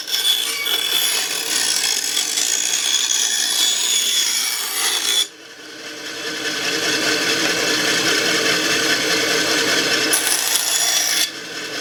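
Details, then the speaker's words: Restored 1950s Atlas 10" band saw Model 9360, sat unused for years, test cut after cleanup and tune-up with a dust chute added to shield the motor: even, steady rasp of the blade through wood, no knocks or thumps; runs smooth and healthy. "I'm really happy with how this turned out I'm so surprised with how smooth this all is man they sure don't make them like they used to"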